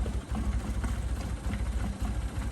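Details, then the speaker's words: 1965 Toyota Corona, abandoned and sitting, first run after fixing a loose fuel hose clamp and a full fuel filter: low, uneven loping idle with slight stumbles; rough idle, cause not confirmed. "it's running I'm not gonna say it's running absolutely amazing"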